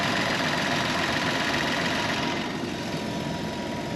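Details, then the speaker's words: 36-year-old Toyota Land Cruiser 60 Series, freshly restarted after cleaning the rust-damaged fuel sender, idling about 850 rpm: steady even idle with a thin high whine above the engine; pump audibly screaming, owner calls it a definite problem; fuel pump whine. "I know probably sounds loud on this camera but I can hear the pump screaming over the engine so that's a definite problem"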